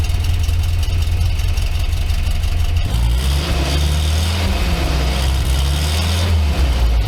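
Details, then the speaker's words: Barn-find 1964 Jeep CJ5 just after a new muffler was installed: loud, deep, steady exhaust burble at idle with a brief rev near three seconds, no rasp or leak puffs; normal exhaust note. "oh yeah this thing sounds way better"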